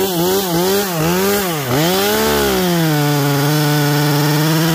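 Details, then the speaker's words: New Neo-Tec NH843 chainsaw on first cuts at full throttle: warbling, burbling pitch instead of a clean scream; four-stroking badly from a rich high-speed mixture. "a oh so in those couple of cuts it ran good but of course it's four stroking really bad"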